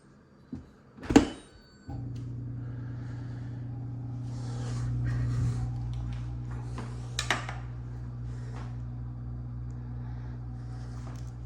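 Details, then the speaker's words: Electrolux dishwasher that flashed lights and kept draining (i30), after replacing pressure switch kit 5304504077: clicks and a thump, then steady low hum with water swish; normal wash cycle, fixed, though wash motor may be weak. "The dishwasher is fixed for today."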